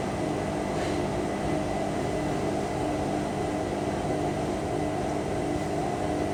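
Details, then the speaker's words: Indesit IWC6125 washing machine, first wash after fitting new motor brushes, program reset from Cotton 90 to Cotton 70 after glitching; low-speed spin around 300–400 rpm, steady low hum with even motor tone, no knocks or scraping; spinning normally. "Oh, sods off on one there. Yeah, it is, I can hear it. That's 400. 300, 400."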